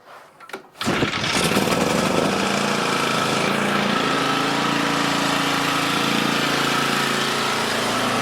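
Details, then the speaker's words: Toro 30-inch mower after installing a new spindle pulley with a replacement nut: engine catches and settles into a steady run, blades spinning smoothly, no squeal or knock from the deck; previous noise gone. "Boom. No more noise. So we are good to go."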